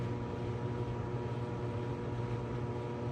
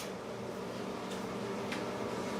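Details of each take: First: 2001 GE Spacemaker XL1400 microwave: loud, coarse, buzzy hum that stops abruptly, with a burnt smell. Magnetron shorted (17 ohms filament to case) and took the HV diode with it, so no heating; shorted magnetron. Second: Microwave heating popcorn: quiet, steady fan and transformer hum with faint ticks from the food; normal running.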